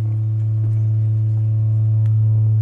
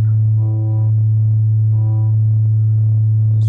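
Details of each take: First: MBL 101 E Radialstrahler speaker woofer (melon range 105–600 Hz) playing a 109 Hz test tone after repair; steady low tone with a faint buzzy edge, off-centre voice coil rubbing, before centring it via the Allen adjusters. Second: MBL 101 E speaker woofer on a 109 Hz test tone after centring the voice coil with a 3mm Allen socket while playing; steady clean tone without buzzing or vibration; voice coil properly centred.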